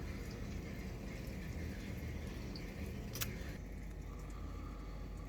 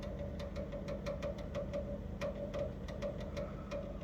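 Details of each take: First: Electrolux GCB 11 Basic X Fi gas boiler after circulation pump replacement, system pressure about 2 bar: runs almost silently with a soft low hum, no pump whine or rattle; earlier it was noisy like a tractor. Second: Electrolux GCB 11 Basic X Fi gas boiler runs loud "like a tractor": low hum, steady drone and irregular rattling ticks; the gas service said the circulation pump is failing, and it was replaced.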